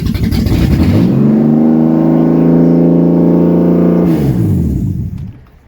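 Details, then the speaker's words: BMW E36 Coupe, first start of freshly installed M52B28 2.8 six from a Z3 after refitting the fuel pump relay: catches cleanly, climbs into a smooth steady rev, then winds down evenly, no misfire or knocking. Normal start. "Take that as a victory. Fuck yes. She runs."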